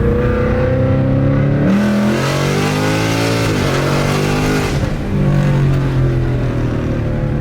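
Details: 2020 Ford Mustang GT V8 with ported intake manifold, longtube headers and cold air intake, after fixing a WOT bog, on a hot day: hard pull in second gear, pitch climbing smoothly with no stumble or bog; healthy wide-open run.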